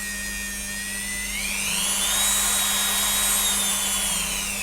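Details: Approximately 12-year-old Dremel after capacitor and 24 kΩ resistor replacement, tested on a power supply without cover screws; clean high whine rises then holds steady, no stutter or grinding, running properly.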